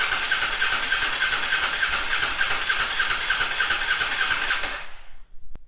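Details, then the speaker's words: Loaded Honda Africa Twin that won't start; choke tried and spark confirmed. The starter spins in quick, even pulses of about three a second and it never fires. Crank no-start; owner suspects a failed fuel pump, which was then replaced. "So I already kind of know what the problem is because, you know, reading some of the Facebook posts that I've seen, they talk about how the fuel pump kind of goes out and you may not even know it."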